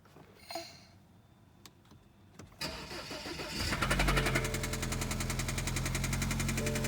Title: BMW 2013 320i N20 Loud Ticking Noise